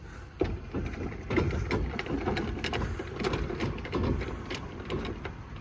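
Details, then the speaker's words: Rear wheel of a lifted Mitsubishi Mighty Max turned by hand during differential removal, with the welded differential's other side spinning; uneven gritty scraping with scattered clicks, confidently judged a worn wheel bearing, and new bearings are to be ordered. "pretty sure that's a wheel bearing definitely is a wheel bearing"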